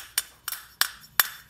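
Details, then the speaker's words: Honda XL185 engine cylinder head, torn down, after the valve seats were re-cut (seats not replaced): five crisp, clean, ringing taps about a third of a second apart with no dull buzz; valves seating well. "that's kind of sound you want to hear with valves and seats"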